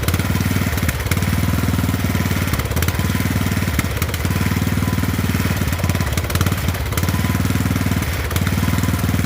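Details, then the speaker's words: Poulan 12538 38-inch riding mower on its first start, with 10W-30 oil slightly overfilled: a steady single-cylinder thump holding even speed with only slight periodic dips; it runs well without misfire. "Alright, so we got it running. If I didn't mention it, this was going to be a part 1 on this one because I figured it was going to take 2 parts to deal with it. It looks like it's running real good."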